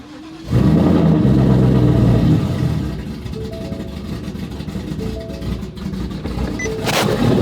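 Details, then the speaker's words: Roush-platform V8 with Jokers Performance throttle body and cowl hood, cold start at 55°F morning after several attempts: cranks, catches, flares briefly, settles to steady even idle; stock throttle body had stalled at stops. "It is the following morning. Time for a little cold start. Let's hear it."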